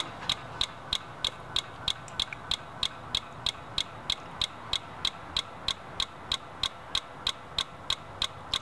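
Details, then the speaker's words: 2003 Dodge Dakota 4.7L that shuts off while driving: sharp even clicking about three per second from the engine relay with key off, relay cycling on and off; faulty aftermarket alarm suspected; no codes, fuel pressure 55 psi, split vacuum hose found. "it's not supposed to have that clicking sound and that's coming from the engine relay so I'm not sure what that's all involved but it has to do with the starting circuit I'm sure because it's clicking off and on"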